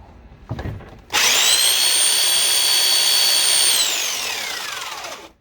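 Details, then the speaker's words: Black and Decker U-144 belt sander after gearbox repair and regreasing: motor spins up to a clean, steady high whine and coasts down smoothly, with the earlier grinding gone; gear drive healthy. "no more grinding noise that's that's i guess so overall i'm fairly happy with this thing"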